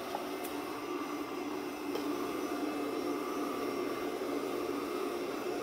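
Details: Pure Clean PUCRC99 robot vacuum (11.1V 2000mAh lithium-ion battery) after repair of running only minutes and not charging: steady, even motor and brush hum without catches, rattles or surging; running normally, battery holding two bars.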